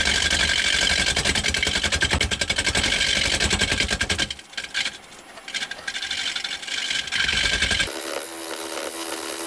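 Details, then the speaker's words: Wood lathe turning a square blank for a lamp: loud rapid chattering as the gouge hits only the corners because the workpiece is not yet round. "You can hear it kind of chatter as it's going around. That's because it's only hitting on the corners. It's not all the way around."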